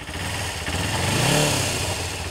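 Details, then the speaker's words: Kawasaki ZZR-250 (EX-250) after cleaning and reinstalling the gummed-up cam-chain tensioner: smooth idle rising into a short clean blip and settling back, the former metallic clicking gone; running normally. "It's running much smoother."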